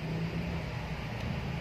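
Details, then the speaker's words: Cosmos electric fan after repair, one leg to direct live and one to capacitor: steady even low hum, no rattle or scraping; fan spins, fix successful, normal running. "Nah, sekarang kita coba nyalakan lagi ya. Teman-teman bisa perhatikan asnya ya. Oke. Berhasil."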